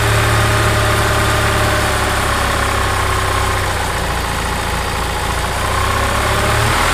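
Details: Gas EZGO TXT golf cart single-cylinder engine, brought in skipping badly, with worn valves found; it idles steady and even with a firm low thump and no misses or knocks, sounding healthy.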